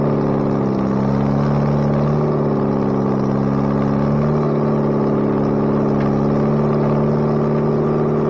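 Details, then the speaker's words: Bobcat 642B skid steer after head gasket replacement: steady, even drone with smooth low rumble and slight pitch rises under load, no knocks or misses; runs pretty good now. Normal running. "but uh it runs now runs pretty good so if it ever stops raining i'll take it out and do some work with it"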